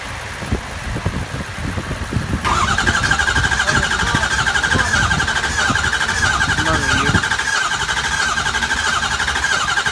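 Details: 2003 Ford 6.0L diesel with replaced high-pressure oil pump, IPR and FICM checked OK: uneven cranking chug about ninety a minute, then a steady high whirr, never catching. Crank, no start; cause unknown.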